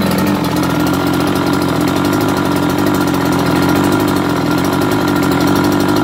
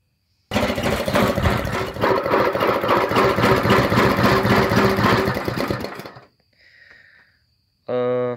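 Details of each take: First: it still runs just fine smokes like crazy because the premix Second: Honda GX270 go-kart engine with junk carburetor and a hairline crack around the exhaust valve inside the valve cover: a small single barks at a fairly steady, slightly uneven ~220 beats a minute. It runs only on choke; carburetor fault.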